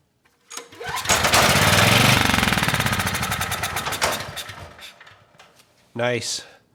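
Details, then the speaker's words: Briggs & Stratton Storm Responder generator that won't start, spark and compression confirmed, air box off: cranks and fires rapidly for about three seconds on starting fluid, then dies; fuel not getting through, carb likely needs cleaning. "it's almost always the fuel so that carb probably needs to be cleaned"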